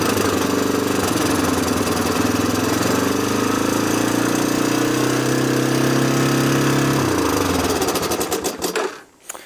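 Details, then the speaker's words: 1987 Honda TRX250 Fourtrax ATV, sat for years, first start with no air filter and the intake boot disconnected: the single cylinder holds a fast idle with a tinny metallic clatter on top. Owner suspects a vacuum leak or carburetor idle set too high. "Okay, we have a height idle, very, very high idle for some reason. Either it's got a vacuum leak or just the idle adjustment on the actual carburetor is set way too freaking high."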